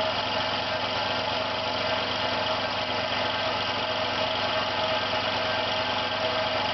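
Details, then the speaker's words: Air compressor starting with air outlet closed, pressure rising, no leak, about 50 seconds in, one side hot and other cold: steady even drone with a thin high tone; strange noise, cause not confirmed. "You can hear it's making a strange noise."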